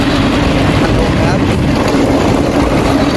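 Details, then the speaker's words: Hatari AC Classic1 evaporative air cooler at speed 1, louder at higher speeds: loud droning roar with heavy low rumble and steady hum; blower fan blade loose on the motor shaft, running off-centre and shaking the frame. "อาการเสียคือมันมีเสียงดังขณะใช้งานนะครับมันก็น่าจะเกิดมาจากใบพัดลมโบเวอร์นะครับด้านในกับมอเตอร์เนี่ยต้องมีอะไรเสียสักอย่างนะครับ"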